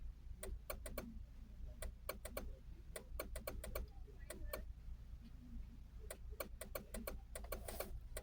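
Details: Repeating relay-like click about twice a second over a low cabin hum, from up inside the dashboard near the upper left of the steering column, continuing with the key in or out; source unknown.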